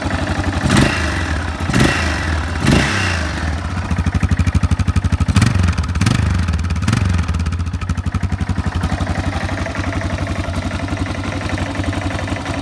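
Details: Yamaha XT 600 (2KF) single-cylinder at idle: loose, irregular clatter over the thumping beat, about four knocks a second; internal engine noise, cause unclear.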